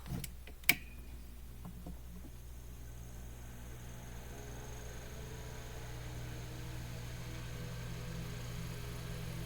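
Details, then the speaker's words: Mainstays SFC-225BR1 9-inch high velocity fan, new out of the box, tested after oiling: a few startup clicks then steady motor hum with a thin high scraping hiss, the rotor rubbing from misaligned bearings. "all right it's definitely scraping that's not good all right that is not good at all"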